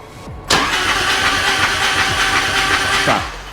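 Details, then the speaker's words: Harley-Davidson Road King with spark plugs removed, cranked on the starter in 5-second bursts, five times, to build oil pressure until the oil light goes out; steady fast starter whirr with no firing, normal. "so like I don't have to turn it off right no yeah just keep it on cuz it's not going to start there's no spark plug"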